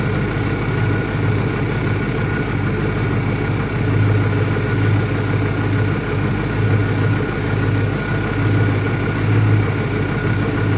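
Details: 2001 Ford Mustang Cobra V8, warm, after new Bosch spark plugs; uneven, loping idle over a steady low rumble; runs rough, owner asks about vacuum leaks, cause not evident.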